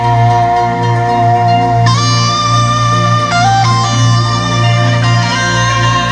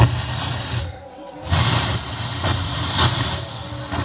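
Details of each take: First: Yamaha PSR-S750 keyboard after component replacement for rumbling, noisy audio following diesel exposure at a parade; clean, clear tones with steady bass, no hum, rumble or distortion; amplifier output healthy after repair. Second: Yamaha PSR-S750 keyboard, failed mid-parade while powered by an unstable diesel generator: loud, constant rushing roar with a brief dip and no notes coming out; owner blames unstable voltage, audio fault.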